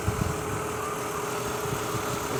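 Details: 2003 Mazda Tribute V6 at idle with AC on for load: an uneven idle with irregular stumbles and dropouts from a cylinder misfire; leaking valve covers let oil into the plug wells so the coils arc, and the valve covers need replacing.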